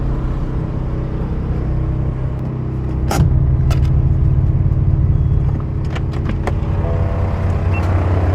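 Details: BMW F82 M4 parked: deep, steady droning hum with a fluttering low buzz not following road speed; the electric radiator fan, vibrating for two years and much worse since a recent track day, was replaced completely.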